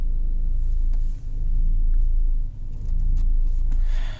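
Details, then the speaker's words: Nissan Almera idling warm (33°C day) in drive with the steering held: steady low rumble and no squeal or whine. Cold-start pulley whine from low power steering fluid cured by topping up above minimum. "so there's an initial here and then it goes look so it's not that squeaking pulley noise"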